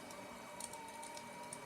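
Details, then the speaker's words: RepRap Power Arm after a Marlin firmware update and end-stop fix: on a move toward 0,0 after lifting Z 10 mm, the energised Y stepper gives a thin steady whine with faint ticking but doesn't move. Commanded Y moves go the opposite way; cause unknown. "Yeah. Not sure if that's the sound it should be making, but as you can see, the y-axis is just not moving off from the arm."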